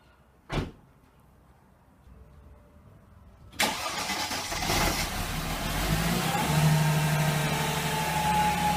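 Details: Mercedes C32 AMG first start after installing a salvage-yard drive shaft, new front and rear flex discs and the rear exhaust section; a couple of starter clicks, then a smooth, steady fast idle with no knocks or rattles; normal cold start.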